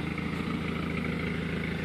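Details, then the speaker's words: Volvo 940 Turbo wagon, fresh oil and filter, running smoothly at idle: a light, fast clack over the steady petrol idle from the A/C compressor, whose clutch is worn and a little loose. "and come on the clacking noise that's the AC compressor but the clutch on there's a little loose I have a video on that"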